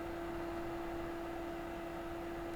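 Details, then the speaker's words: Upgraded cooling fan in an Opus BT-C3100 battery charger whirs at a steady, fairly high-pitched hum over airy hiss at full speed. It is too loud and its rpm needs lowering, e.g. with a temperature-based fan speed controller. "але вентилятор трохи зашумний і оберти потрібно понижувати сподіваюсь ви чуєте як шумить"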